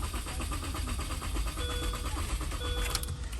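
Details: 2005 Mini Cooper Convertible (EWS module won't communicate with scan tool): steady starter cranking at about six beats a second for over three seconds, no firing; cranks but won't start, starting fluid later fails too, pointing to no fuel.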